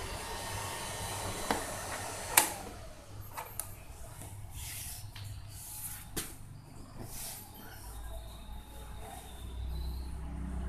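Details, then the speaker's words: Honda All New CB150R with thermo sensor unplugged and ignition on, forcing the fan (normally on at 90–100 °C): after a few handling clunks, a low steady whir comes in and holds; radiator fan operating normally. "kita lihat nah kita dengarkan mesinnya itu atau Sori kipasnya itu nyala"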